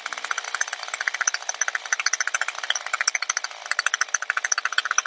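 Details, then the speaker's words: Two-stroke string trimmer with HiPA replacement carburetor, high-speed mixture already set: rapid, buzzy idle that eases as idle speed screw is backed off; idle rpm set too high. "the next thing is you can tell at idle here the rpm is up significantly so we want to lower that idle speed again"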